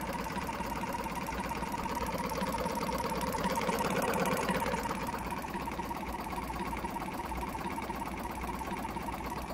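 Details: Jumper box air compressor with formerly seized motor, weak internal battery; uneven labouring chug around 170 strokes a minute, like a misfire: owner suspects the motor is still tight and dragging, hopes running frees it.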